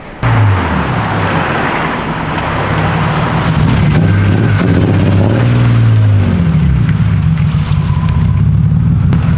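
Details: Project car engine running while chasing a misfire; revs unevenly with a lumpy, stumbling beat and dips as it pulls; misfire persists, cause still unknown.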